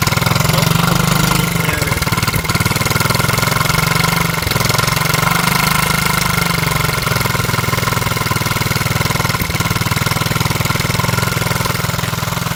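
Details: Z50 motorcycle at idle, owner trying to locate an exhaust leak. A steady, loud idle with a raspy, puffing chatter over the low thump; the leak spot is not yet found.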